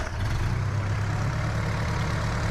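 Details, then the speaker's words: 1931 Model A Ford four-cylinder, freshly swapped in (old engine's piston 4 failed), carburetor just adjusted: smooth, even low rumble at idle with steady level and no knocks or misses; idles cleanly. "Let's suspend any music and just listen to that purring engine. Boy, it sounds good."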